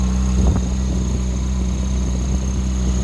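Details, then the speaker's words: 2011 Ferrari 458 Italia V8 at pre-purchase inspection, engine cover open: steady, smooth idle with no knocks or misses; engine running very smooth. "Engine is running very smooth."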